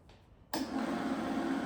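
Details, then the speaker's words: Denford Viceroy pillar drill, Hoover 3-phase motor after replacing hardened, notchy bearings, belt fitted: motor comes up to speed with steady even hum, no bearing rumble, growl or squeak; much quieter than before, normal running. "That's fucking super quiet compared to what it was."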